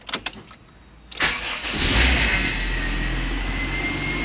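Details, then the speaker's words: Rebuilt Honda CR-V after refilling power steering fluid that had run low; cranks, catches cleanly, smooth steady idle with no pump whine; normal start-up and idle, nice and quiet. "Definitely sounding a lot better. Alright, I think we're in business, guys. Sounds nice and quiet."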